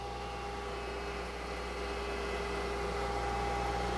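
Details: Milling machine cutting a 3/8-inch slot with a rigid, short-stickout cutter setup, spindle speed raised after being left at the slower Woodruff-cutter setting. Smooth, steady hum with an even cutting note and no chatter or squeal.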